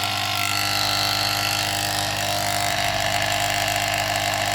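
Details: Household gas pressure booster compressor (black unit): loud constant buzzing hum with a harsh rattle over it; coil and magnet spacing worked loose, fixed by opening the sides and bottom and adjusting the coil and magnet.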